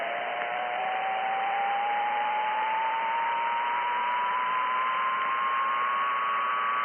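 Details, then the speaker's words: RF interference hunt, switching circuit breaker 15: a thin whining tone rising in pitch over steady radio static, RF interference whine heard at about 80 dBm. "that was circuit breaker 15 and as you can tell there's a something's coming up i can hear it whining a little bit you know not the airplane that's flat over i can definitely hear something"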